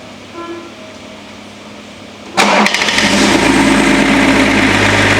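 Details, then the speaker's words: Range Rover P38 cold start after sitting 13 years, new water pump and belts fitted: engine catches and idles with a loud metallic rattle still present; cause found to be the failing crank pulley. "It was nice to change the belts as well, and we was hoping that was going to solve the issue of the horrible rattle noise on startup. But unfortunately, even after changing the water pump, we still had a horrible rattle."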